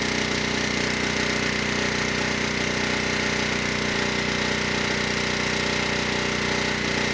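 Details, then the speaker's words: ETQ 2700-watt generator with brushless powerhead, found not running after years in storage: steady, even fixed-pitch drone with no hunting or knocking at 100 watts over rated load, near 61 Hz and 118 volts; healthy under full load. "but i just exceeded the rated wattage by 100 watts and the engine not only stayed above 58 hertz but it was closer to 61 hertz 118 volts"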